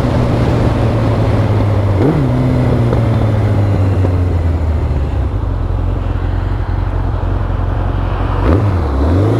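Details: Yamaha XJR1300, pre-collection test ride: smooth, even note climbing and dropping cleanly through gear changes with no knocks or rattles; healthy engine under acceleration.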